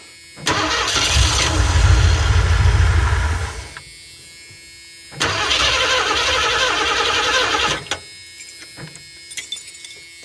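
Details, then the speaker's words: 1984 Ford E150 Econoline camper van V8, runs on raw gas poured down the carb: fires and roars about three seconds, dies, catches briefly and fades; brief run on primed fuel only. "I think it's good enough to say she runs"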